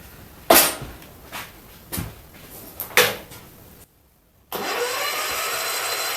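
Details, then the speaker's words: Mid-70s John Deere 110 garden tractor pulled from a scrap trailer, sat for years, first starter try after clearing packed dirt: clunks, then steady starter whirr turning it over without firing; no spark, no power found at the coil. "does well what's chances it makes spark not real good just check for power to coil be a good start wasn't it she won't make spark that way no juice at the coil"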